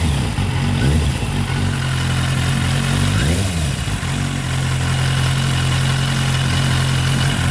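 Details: Kawasaki Z800 motorcycle engine revs briefly then settles to an uneven idle with a faint tapping underneath; abnormal engine noise, cause not identified.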